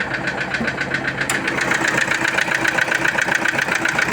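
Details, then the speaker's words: Toyota Innova diesel with a hard "tek tek" knock, about four hits a second, at idle and when revved. The check-engine and oil-pressure lights are off. Cause is undiagnosed; low oil or poor oil supply is suggested as a possibility. "Nah, kita dengerin nih teman suara mesin bunyi tek tek tek tek tek tek tek ini teman ya."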